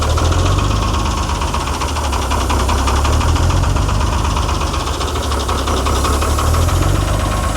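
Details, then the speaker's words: Ford D Series diesel truck on its first start after sitting 28 years: heavy clatter at idle with an uneven, loping beat and occasional dropped strokes. A miss is suspected. "That looks like it's got a bit of a miss. I could crack those injectors, but might come out of her."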